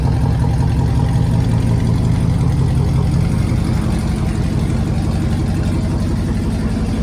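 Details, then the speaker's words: Tahoe first start after fuel pump wiring/pump fault was traced: deep, very loud, boomy steady idle drone; no mufflers fitted, exhaust ridiculously loud. "it is so loud I've got to get some Mufflers put on this thing it's ridiculous but hey at least it runs"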